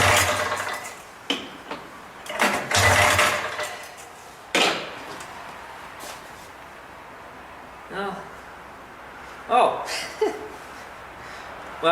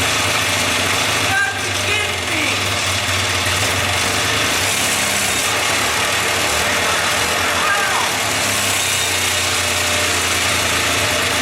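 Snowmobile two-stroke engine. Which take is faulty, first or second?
first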